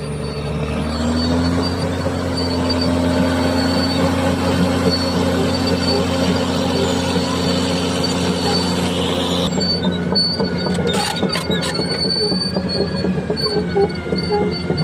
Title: Cat Dozer Bad noise,,time for undercarriage JOB. idler and roller damages..